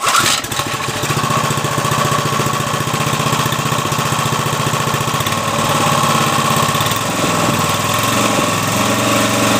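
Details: Briggs & Stratton 3.5 HP small engine, little used, after cleanup and carburetor fix: quick start, then a steady, even single-cylinder putter around three to four beats a second with no misses or knocks; running healthy.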